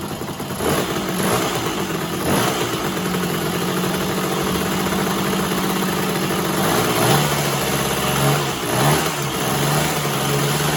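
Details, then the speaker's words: 1966 Bridgestone 175 two-stroke twin, sat 30+ years, first start: sputters to life, then wavering uneven idle and blips; owner suspects transmission oil leaking past a bad seal into one side, which smokes; rough running. "I'm guessing that transmission oil coming out of this side I think that steel is bad what's up turn the headlight on daylight definitely getting smoke out of this side"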